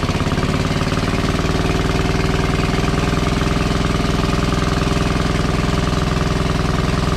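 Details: WWII Chore Horse 300-watt battery charging set, model CH1 395-5, original 1940-41 paint, cleaned not refinished: steady, even single-cylinder thump about three and a half beats a second, no misses or knocks; runs healthy and works great.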